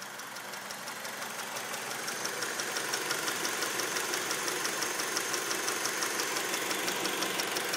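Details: 2003 Acura RSX at idle, valves already adjusted: crisp, even ticking about three per second above a quiet engine hum; light top-end tick, source unclear.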